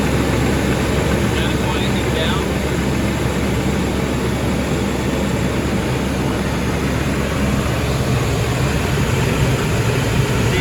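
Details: Chevrolet S10 crew cab with the 4.3 V6, idling after a quart or so of thick Lucas oil was added, which quieted the tick but didn't stop it: faint light ticking quicker than the firing beat, owner suspects lifter tick.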